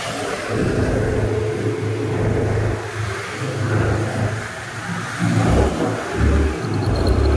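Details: Honda Vario 110 carburetted scooter, complaint of rough running and no power, after repair: revs up and drops back in easy surges, light throttle, low even rumble with no roughness; sounds healthy and free, normal revving.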